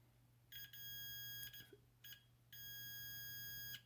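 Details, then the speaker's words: Continuity beeper on a Carrier Weathermaker forced-air gas furnace gas valve circuit board pin: a high beep cuts in and out over a quiet hum, sounding only when the pin is pressed, revealing an intermittent cracked solder joint. "I put pressure against it, there's continuity there."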